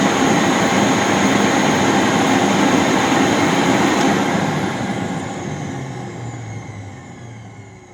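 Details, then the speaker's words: Rainbow D4C SE canister vacuum motor after a bearing rebuild, with water in the bowl, drawing 9.8 amps: smooth, even rushing roar with no grinding or rattle, then a clean steady wind-down. Normal running; a dramatic improvement over the failed-bearing tick. "Oh, that's so much better. And my current meter said 9.8 amps. So listen to the wind up and of course the wind down. That's quite a dramatic improvement."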